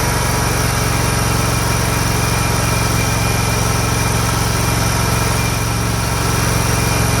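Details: Scag Tiger Cub 48" zero-turn after reconnecting the loose choke linkage: steady, even low thrum at constant speed with no misses or surging while mowing. Fixed, running normally.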